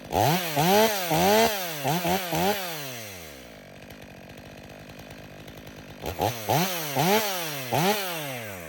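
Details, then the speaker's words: Stihl MS 500i chainsaw, 62 hours, warm, calibrating in frozen wood: snaps to high revs and drops back cleanly, crisp even pitch, steady idle between; healthy. "I think we got her. That saw didn't give me one hiccup outside this time. It runs excellent."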